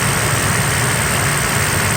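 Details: Mercedes SL600 V12 after vacuum hose leak repair, cold day, engine warm: smooth, even idle with steady hum, no growl or ticking; healthy idle.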